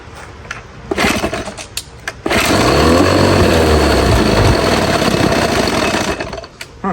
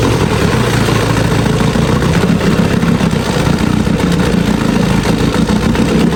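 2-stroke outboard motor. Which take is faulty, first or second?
first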